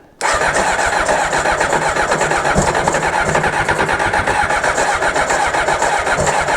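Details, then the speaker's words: 1995 Honda CBR600F started after sitting very long, fed fuel by hand since the fuel pump wasn't pumping, WD40 in the engine: catches at once and settles into a strong, steady run with no misfires or knocks; normal start and idle. "come on it's running [Applause] oh the motor sounds good just let it warm up a little bit"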